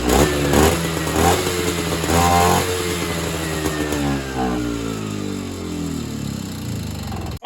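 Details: Evinrude Bobcat 25hp two-stroke snowmobile, sat 20+ years, fed mixed fuel; catches with an uneven blip, revs sag and stumble, then cuts out; owner thinks fuel bypasses the non-working carburetor back to the tank.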